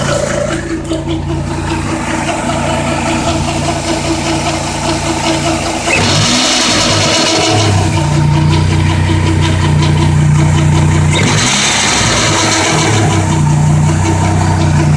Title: PT Cruiser strange noise from harmonic balancer